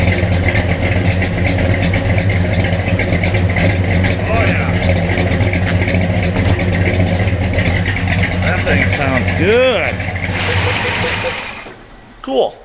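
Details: Worn-out 1974 Ford F250 with a built engine (looked like a stock 390) and Comp Cams Thumper camshaft, after valve adjustment and timing and carburetor tuning: lumpy big-cam V8 lope with crisp, clean rev blips; normal idle and revving.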